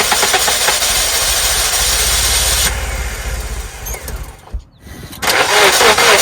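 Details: 1997 Nissan Sentra that cranked but would not start due to an ignition system problem: starter churns briefly, engine catches and climbs into a busy, even run; starts and keeps running.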